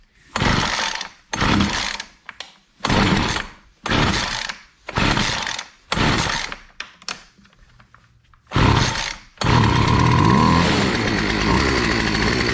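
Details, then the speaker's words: Weed eater model BC 2500 LE that sat for years, after a loose head that had lost compression was fixed and a kinked primer line cleared, on choke; several pulls, then it catches and idles evenly. Normal start and idle. "It's even idling. That doesn't happen very often."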